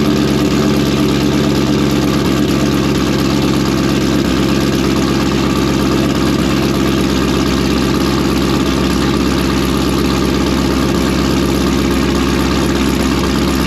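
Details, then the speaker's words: V8 with a blower-spec camshaft: a deep, steady rumble loping about twice a second, even and unbroken; a healthy idle that also drops in out of gear nicely. "Yeah, that sounds pretty good for a little blower cam. So, idling away nice, drops in out of gear nice."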